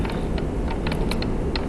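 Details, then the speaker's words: 1989 Mitsubishi Starion/Chrysler Conquest 5-speed RWD transmission on the bench during rebuild, in second gear, shaft turned by hand: light, uneven clicking and ticking, quieter when spun one direction only. Normal gear lash noise. "Notice the noise is still there, and when you're actually spinning it in one direction only, you don't hear that much noise."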